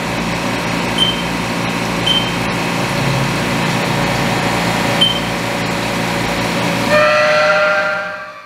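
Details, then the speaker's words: Haas CNC mill cutting 4140PH steel with a 4-flute end mill on a helical ramp that widens a hole: piercing steady squeal with shifting high tones as the cutter spirals down. The ramp is too shallow and the tool isn't engaging enough material, causing chatter. "as you can hear it screeching pretty badly and the reason it's screeching pretty badly is because I am not engaging enough material so it took me a while to figure this out"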